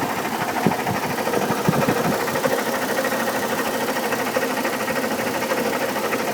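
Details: 2002 Chevy Trailblazer: busy idle with fast, slightly uneven loud ticking about three per second; owner thinks it comes from the fan area, fan clutch replaced two years ago, oil pressure checked, codes P0105 and P0420.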